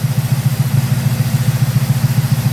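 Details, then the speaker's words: 1971 Oldsmobile 455 V8 idle at about 780 rpm, timing 12 degrees, idle mixture screw one turn in on driver's side: smooth, steady low burble with even pulses and no misfire or stumble. "Idling at about 780, Battle."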